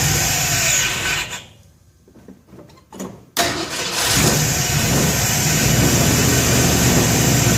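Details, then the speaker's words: 1966 Ford F100 after new plug wires, carburetor not set, timing roughly 10 degrees, cam not yet broken in, on choke: starter cranks, engine catches into a loud uneven fast idle; rough running from unadjusted carburetor and timing. "and uh again the carburetor's not set timing's rough at 10 degrees"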